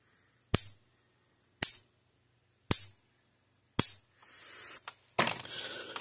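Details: 2012 Blitzer (Zareba) 25 mile fence charger, reassembled after repair for no output voltage: sharp snapping clicks about once a second with silence between; firing steady, healthy pulses.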